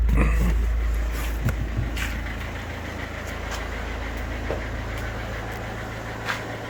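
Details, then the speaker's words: Audi diesel for sale, just after timing belt change, with new oil and filter: revs drop from a blip into a steady, even low idle with a few handling clicks; no smoke, engine runs well. "нічого не димить не чадить моторчик робе гарно"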